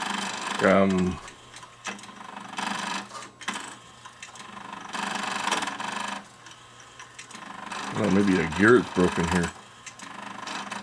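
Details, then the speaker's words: Akai GX-747 reel-to-reel tape deck (two-speed, six glass heads, auto reverse) making noise as soon as powered up: repeated harsh whirring-grinding bursts over low mains hum, like gears stripping; gear slipping on a loose actuator motor. "It sounds like gears are are stripping in here is what it sounds like."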